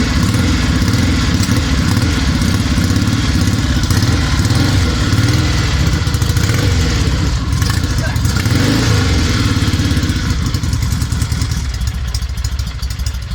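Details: 1963 Norton SS 650 twin after complete rebuild, first start on a makeshift fuel system with year-old fuel: deep, loping twin-cylinder thump holding a steady fast idle and easing down near the end, firing on both cylinders normally.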